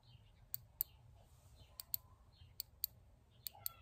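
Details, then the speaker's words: Fuel injector on the bench, pulsed with a 9 V battery during cleaning: four pairs of crisp faint clicks as the circuit closes and opens; the solenoid actuates normally. "okay so you can hear it you can hear it there when I uh close the circuit on the battery"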